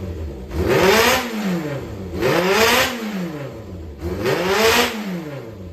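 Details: Yamaha XJR400 engine assembly (also fits XJR400R/S, early XJ400), compression tested, no abnormal noise or white smoke; three clean throttle blips about two seconds apart rising and settling smoothly back to idle with no knocks; healthy engine.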